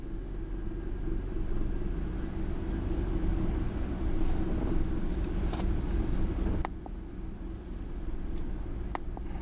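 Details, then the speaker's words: Ford F150 4.6L V8 with code P0402, cold start after sitting about an hour, ECT 124 degrees: uneven, lumpy, stumbling idle with occasional dips. "you probably can't hear it but I can feel it it's shaky this cold start right now"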